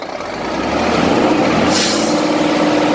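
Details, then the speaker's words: Scania 380 hp truck, over 1,000,000 km, mostly city driving, after a three-stage engine oil additive; diesel swells smoothly when revved with an air hiss midway, no knocks or rattles, much quieter and cleaner than before. "네 , 엔진 소음 이 훨씬 조용해졌고 , 차 소리 도 전 보다 더 깨끗하고 좋아졌어 요 ."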